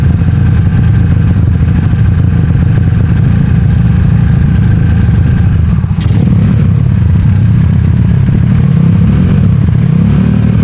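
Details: Honda Beat carb scooter bored to 130cc, 2+ years daily use, PE26 carb, slightly raised compression, racing exhaust, checked up for touring: deep, steady exhaust drone through revs, no knock or rattle; smooth, cool-running, healthy.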